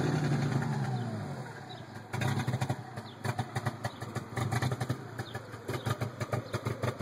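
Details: 1992 TSI: after the revs fall, the idle pulses unevenly, loud and soft beats stumbling irregularly instead of a smooth hum; a rough idle.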